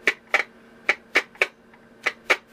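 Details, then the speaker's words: Vintage WWVC Standard Frequency Comparator receiver: tapping one of two tied resistors with a screwdriver gives sharp irregular crackling bursts. Something is loose or going open, possibly a bad solder joint; intermittent crackle, cause not confirmed. "Something in there is either loose or going open. Could be a bad solder joint."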